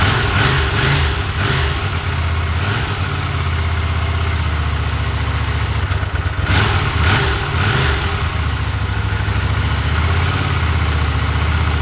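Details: 1982 Honda CX500, long neglected, after cleaning tank, petcock, carbs, jets, replacing plugs and caps: idle surges and sags with blips and stumbles; unstable idle, no change, carb/ignition cause unfound.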